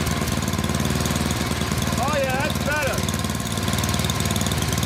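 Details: Yard Machines 24-inch snowblower, 8 hp Tecumseh single-cylinder, after hard-start repair (coil cleaned and adjusted, new fuel hose, carb cleaned, plug gapped), heavily primed: steady, even idle chug with a brief whistle; runs properly.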